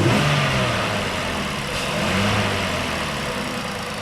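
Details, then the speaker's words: 2015 Ford Explorer 3.5 V6 idling after an oil top-up (was about 1.5 quarts low), throttle blipped once: idle wavers unevenly and revs don't rise cleanly; power balance still shows a misfire on cylinder 3, which the relative compression test later flags. "let's go back into power balance where you're at power balance sounds like it's running a little bit better let's see still got a misfire on number three still grabbing this fire on number three"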